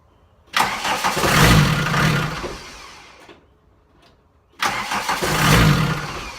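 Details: VW 1.6TD diesel that won't start: two cranking bursts, each swelling into a brief rough surge then dying without catching; crank no-start with surging, cause unknown.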